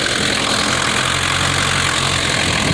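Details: 1960 Mercedes-Benz 190D diesel, restarted after new ground straps and battery cables, penetrant on starter and tapping the starter with a hammer: loud, even idle clatter with no misses or stumbles; running smoothly.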